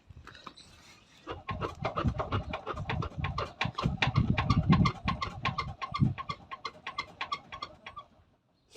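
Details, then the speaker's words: Peugeot 308 phase 1, 92 hp, daily driver, front right (passenger) wheel shaken by hand, car lowered; quick loose clunks, about three a second, with play, possibly matching noise heard while driving. Front suspension clunk when wheel shaken. "Ce qui se passe, c'est que déjà il y a un jeu, et ensuite j'entends le bruit que j'entendais un peu dans la voiture, du moins c'est mon impression. Mais dans tous les cas, c'est pas normal qu'il y ait un jeu et une espèce de claquement."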